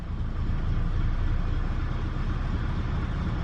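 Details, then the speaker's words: 2006 Duramax diesel, low miles, stuck in limp mode with no power, ABS and brake warnings, filters just changed; after glow plug light, starts and nearly dies, lumpy wavering rumble gradually steadying: rough idle. "it starts and it dies let's try it again it starts and it dies and it starts almost dies sounds like crap"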